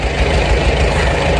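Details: Farmall A tractor revived after 10+ years sitting, new radiator, fan, belts and hoses; low, even idle thump holding a steady beat, no knocks or misses; normal idle.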